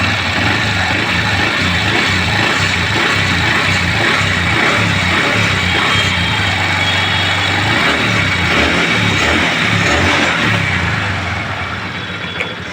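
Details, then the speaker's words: Honda Dream Yuga single-cylinder engine after repair of a seized crank, with connecting rod and bearings replaced; steady, even idle with no knocking or rattle, earlier crank noise gone: normal idle. "ठीक है दोस्तों गाड़ी sound अच्छा आया गाड़ी का sound आप सुन सकते हैं"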